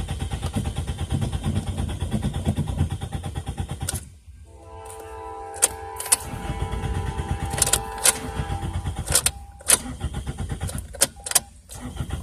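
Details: 2002 Toyota Corolla LE: starter churns the engine at about three beats a second in repeated tries but it never fires. Owner suspects the fuel pump or spark. Crank no start.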